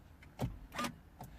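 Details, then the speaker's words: Volvo V50 2.0D non-starter, code C326, immobiliser sync lost after starting attempt on low battery: key in, three short clean motor whirrs in quiet cabin as steering lock releases; normal steering lock operation. "So you put the key in, so he unlocks the steering, absolutely fine."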